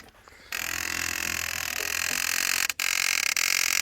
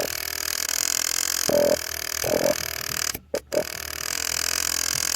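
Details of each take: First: 1989 Honda CBR600 restoration with cleaned carbs, ignition on: sudden steady high-pitched whirring hum for a few seconds, fuel pump priming normally before starting. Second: 1989 Honda CBR600 restoration, carbs cleaned, ignition switch swapped, battery fitted, ignition on and engine stopped: short sub-second buzzing bursts, the fuel pump trying to prime, somewhat noisy.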